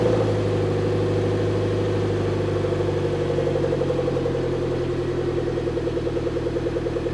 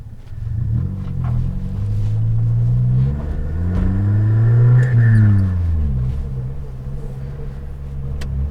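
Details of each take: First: Suzuki Jimny after replacing the blown rear back box with a new standard one: steady, even idle with a soft, regular exhaust beat and no rasp, blow or rattle. It sounds like stock. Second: Suzuki Jimny with the rear silencer (back box) holed and blowing, so it is effectively straight-piped: a loud deep rumble that rises with revs and drones hard on lift-off, making the cabin shake; exhaust leak.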